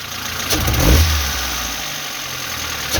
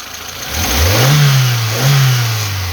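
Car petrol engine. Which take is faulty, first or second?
first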